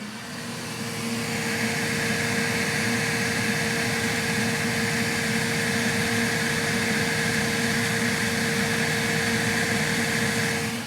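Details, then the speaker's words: Elegoo Centauri Carbon 3D printer, new, during initial setup after vibration calibration, entering automatic leveling, door open, mic inside: loud steady rushing whir with constant mid-pitched tone over hiss, cooling fan switched to full speed, lots of airflow; normal. "that it turned on the fan to full. I don't know if it's testing the fan or why it turned on the fan to full, but there's a lot of air flow coming out."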